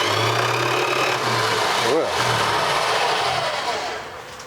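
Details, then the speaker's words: 1986 Dodge Ram D100 barn find, sitting 15+ years, crank attempt. Thin, low whirring spin that fades slowly without the engine catching. The weak-sounding starter keeps spinning about 30 seconds after the button is released. "I was like a wind-up toy yep that starter runs 30 seconds after you let off of it still spinning scared me"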